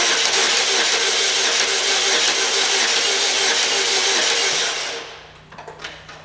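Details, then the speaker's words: 2004 Pontiac Sunfire 2.2 L, no start after sitting overnight; starter spins the engine at a healthy, even speed for several seconds but it never catches, engine mechanically fine; crank no start from a failed fuel pump. "he said it sounds like the motor is mechanically ok when he cranks it it's turning over"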